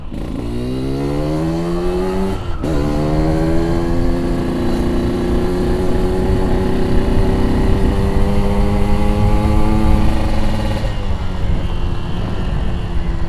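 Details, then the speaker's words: Yamaha RX King two-stroke after a recent exhaust repair, riding away: crisp buzz rising through the gears with a clean shift break, no blowing or rattling; the exhaust sounds healthy. "Karena knalpotnya ini baru-baru kita udah perbaiki, udah jelas kembali. Jadi yang penasaran dengan suaranya, ayo kita jalan."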